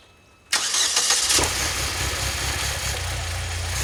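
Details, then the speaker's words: 2006 Saab 9-3 2.0t at start-up after new spark plugs, deep exhaust; engine fires, stumbles and shudders about a second then settles; intermittent stumble at start and warm idle persists, cause unclear. "You can kind of tell here and there where it sounds like it's, especially since this car's got a deeper exhaust, you can kind of hear the exhaust stumbling a little bit."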